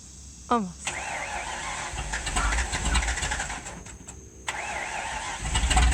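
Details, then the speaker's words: Original one-owner 1969 Ford Mustang Mach 1 with a leaking fuel tank, outdoors after coming off the trailer: starter whirs, V8 catches and settles into a rough, lumpy idle with yard noise around; old engine running. "So at least you can hear it run and see that it moves under its own power."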